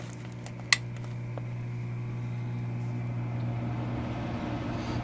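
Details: Homemade workshop heater (built in teenage years, repaired after failing last year) starting: a click, then a steady low hum with an even fan whir building smoothly as the fan is switched on once the coils warm; normal fan running.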